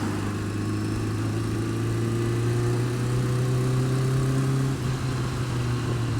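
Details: Honda Fireblade steady low engine drone with a faint, uneven tick about three per second, worse when cold, quieter but not gone when warm; source of the ticking unclear.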